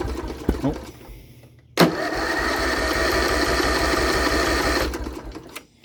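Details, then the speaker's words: Lawn-Boy XT13-38 tractor engine, long-sat, out of fuel, choked: starter spins freely about three seconds with quick, even compression beats but never catches; crank-no-start. Owner suspects low compression or a very effective compression release. "yeah we are out of fuel so I'll try and choke it and we'll try it again nope"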